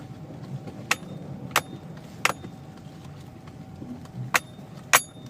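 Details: Toyota Chaser GX100 while driving: sharp isolated knocks roughly every half second to second over quiet road rumble. Suspension knock, cause unknown.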